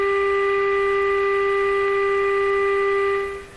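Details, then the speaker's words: Canadian Westinghouse Model 684 radio: replacing a small capacitor restored the dead local oscillator, but it runs far off frequency. A strong test tone around 14 now comes through the speaker and then cuts off; the receiver works but is badly out of alignment. "Wow, I've gone from this guy's never going to work to, hey, it is working. It's just way out of tune."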